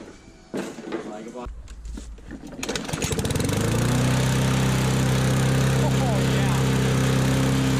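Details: Secondhand push mower that had a very loose spark plug: a few pulls, then it catches and settles into a steady, even drone with no misses or knocks; runs smoothly.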